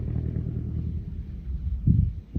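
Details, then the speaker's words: Lancair 320 piston airplane taxiing at 5,800 ft on a warm day at low power, distant rumble with a couple of sharp pops; backfiring, likely from running too rich without leaning. "and you can hear him backfiring cuz he's probably running it a little too"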